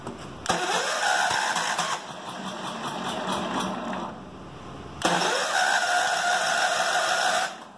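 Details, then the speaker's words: John Deere, started on full choke, very finicky and popping. The engine catches twice, revs roughly, then dies: hard starting, stalls after starting. Owner suspects low compression or running out of prime; has a new carburetor for it. "thinking this doesn't have a whole lot of compression in it you can hear it wants to go but it's UN's runs out of its Prime"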